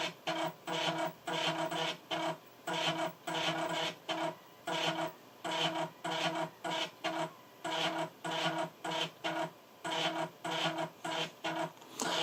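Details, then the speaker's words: Amiga 1200 floppy drive loading Project X: repeated short rasping bursts about every half second, head seeking without settling; owner suspects CPU caches may need disabling, cause unclear. "not sure whether the 1200 actually plays Project X actually this might be one of those ones where CPU caches have to be disabled or what have you because this doesn't sound good to me"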